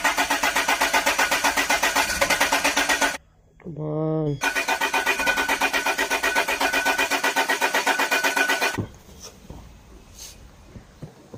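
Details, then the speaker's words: Land Rover after torque converter/crank seal replacement: fast, even cranking at about four turns a second, a pause, more cranking, but it never catches; cranks but won't start, cause unknown, seal no longer leaking. "all right guys so at least the crank seal isn't leaking anymore it seems to be so uh I have no idea why it wouldn't start"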